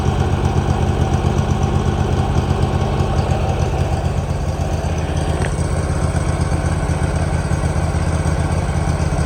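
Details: 2018 Hustler Raptor SD 54-inch mower, Kawasaki FR691V V-twin, first start with choke after head gasket and valve seal replacement, shroud still off. Warm engine settles into steady even low thump, about four beats/s, no misses or knocks; spilled oil smoking off, running better. Normal idle.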